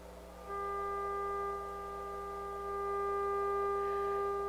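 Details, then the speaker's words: Harman Kardon 75+ amplifier under overhaul: steady test tone with buzzy gritty distortion that grows louder on its own as it warms. A thermal resistor or faulty output transistor is suspected, not confirmed. "so when i turn it on it uh starts with the distortion i'll show you here turn this up"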